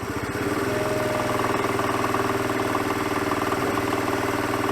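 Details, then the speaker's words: 1985 Honda CT110 (6-volt) single-cylinder idling in gear under slight load: a hard, regular mechanical knock over the beat, barely audible out of gear; owner suspects piston slap or a worn big-end bearing. "I've put the bike in gear. I've put a little bit of load on the engine. Let's see if we can hear the noise."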